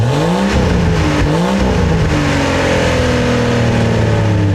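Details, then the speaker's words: 1999 Jeep Cherokee XJ revved with the old cat-back exhaust removed, open after the catalytic converter: very loud raw unmuffled blat climbing and falling with each rev; open exhaust. "Alright, so now that we got the old exhaust out, one thing we got to do, start it up, see what it sounds like. I don't make the rules, but hey, we got to do it."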